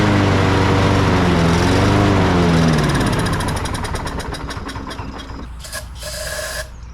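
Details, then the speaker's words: Lawn mower with bad gas and a possibly clogged air filter, run with the filter left off: the small single-cylinder engine holds a steady pitch, then sags and winds down to a stop; poor running, suspected clogged filter. "because that'd be it looks a little clogged up here and so that might be probably the problem why it's not running very well"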